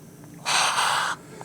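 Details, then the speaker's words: Rebuilt Midland Ross brake booster, 1970 Dodge Charger drum brakes, engine off: one sharp sub-second hiss as air enters while vacuum reserve depletes; normal breathing, no leak. "do you hear the booster breathing yes boosters have to breathe because when you're under vacuum from the plate something has to come in and take up the space know that they can equalize"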